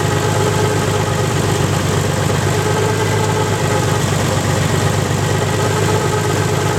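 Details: Nissan 300ZX engine, 190,000 miles, hydrolocked through two cylinders, restarted after purging the cylinders and changing the oil, now idling with no load. Steady, even idle with a light, quick tick and no deep bottom-end knock: no rod knock, just the cylinder 5 lifter ticking.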